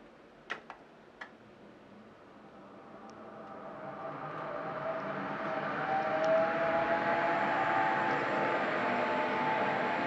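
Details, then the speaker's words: IQAir air purifier, 10–11 years old, used about 12 hours daily: after switch clicks the fan spins up to rushing airflow with a wavering whine and squeaks, worsening over weeks; owner suspects the motor is wearing out. "this uh iqr machine started acting up making squeaky sounds and funny sounds off and on it's been gradually getting worse over the last few weeks"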